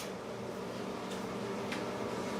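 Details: Microwave heating popcorn: quiet, steady fan and transformer hum with faint ticks from the food; normal running.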